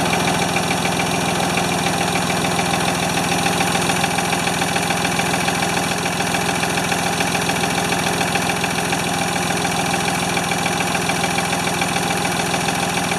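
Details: Free Ford 2600 tractor on first start attempts, smoking as it burns oil off, with plug wires popping off. A steady idle with a faint irregular stumble over a rattly background. The owner says fuel delivery is not feeding enough fuel.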